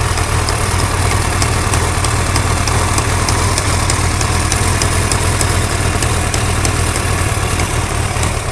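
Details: Suzuki GSX-R 1100 at steady idle: a crisp, fast tick, about three per second, over the engine note; a top-end tick, cause undetermined.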